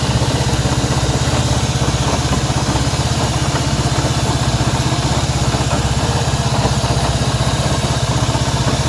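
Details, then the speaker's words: Honda CB190R single-cylinder at idle with a strange engine noise: regular pulsing beat about four per second with a rough mechanical edge; unidentified engine noise, cause unclear. "Bien, aquí tenemos una CB190R y el problema que tenemos acá es un ruido extraño que tiene esta moto."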